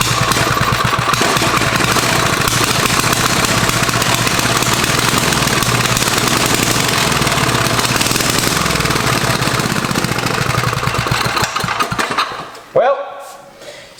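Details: Barn-find Tecumseh 4-stroke small engine, rewired with points checked, carb set better: pounding loud and slightly uneven, then faltering and dropping off; rough running; battery not being charged by the alternator.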